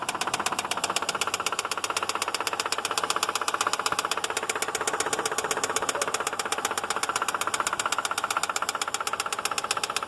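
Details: 2006 Subaru Outback petrol engine at idle with a rapid, steady metallic knock beating evenly through the running sound.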